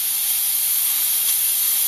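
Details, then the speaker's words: T-fal P45007 Clipso stainless steel pressure cooker: steady high even hiss of steam as the red indicator button pops up, no sputter or surging; the cooker has reached pressure and is venting normally. "Here we go. I can see the steam coming now, and hear it as well, and we can see the red button there popping up, so we know we're into pressure."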